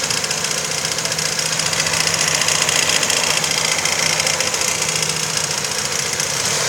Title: Стук в двигателе. Цепь? Вкладыш? Клапан?